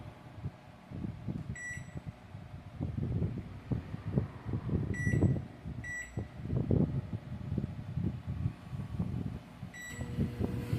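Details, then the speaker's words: Microwave after repair, heating a cup of water: keypad beeps then steady low hum, no crackle, sparking or smoke; the short-circuit arcing noise at the magnetron mount, caused by worn paint exposing metal, fixed by sanding and repainting. "e microonda ligado você pode ver aí ó normal sem ruído sem aquele aquele aquele ruído de curto circuito saindo fumaça nada"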